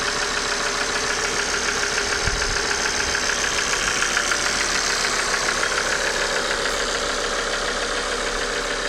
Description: bonjour à tous! j'ai un claquement moteur comme vous pouvez le constater , c'était la pompe à huile qui était hors service !